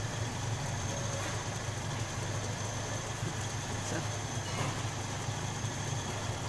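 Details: Toyota Kijang Krista 5K/7K petrol engine that stumbled and lacked power, now running smoothly at a steady low hum with no misfire after the spark plug fault was fixed.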